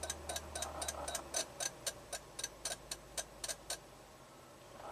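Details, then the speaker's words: 2004 Toyota Avalon, 1MZ-FE V6, parked: steady sharp clock-like ticking from the dash whenever revved over 1200 rpm, throttle- not gear-dependent; also has erratic temp gauge, flashing check-engine light and display, stored transmission pressure-control-solenoid code; cause unknown. "so anything over 1200 RPM it starts clicking that blows my mind absolutely blows my mind"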